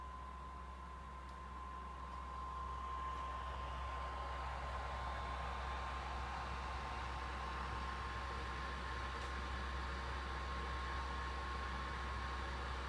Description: My PS4's fans revving up nice and loud while the console is just sitting on the title screen of MGSV not doing anything!